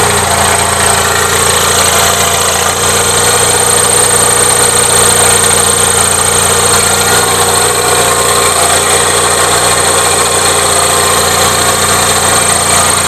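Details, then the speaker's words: Gravely 450 with Onan CCKA at steady idle with a constant loud internal rattle after an oil filter change; no change, owner suspects cam bearings as several people told him; engine knocking noise. "so no change so back to cam bearings like I said I've had two or three different people tell me cam bearings is what's going on"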